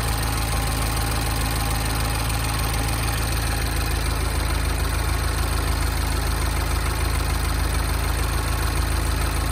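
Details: Mini N18 petrol engine at 38.5k miles idling with a steady, light ticking over the hum. The dealer found the timing chain fine; the ticking is normal injector noise and inaudible with the hood closed.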